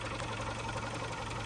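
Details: 1995 Geo Tracker, abandoned, running on fresh gas: light quick ticking over a steady low idle hum, like top-end tapping; cause not confirmed.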